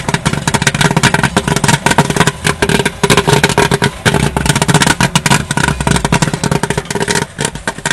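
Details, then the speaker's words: 8oz kettle popcorn machine: a dense crackle of popping kernels with gaps opening as it thins out, so most kernels are cooked and the batch is nearly done and should be dumped to prevent burning. "Okay, you're starting to hear the popping slowing down a little bit, which means that most of the seeds are cooked."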